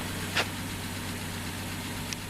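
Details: 1973 Plymouth Valiant idling while warming up, its old radiator cap found dried out: steady, even low idle with no knocks or misses, only a couple of brief outside clicks; engine runs smoothly, normal idle.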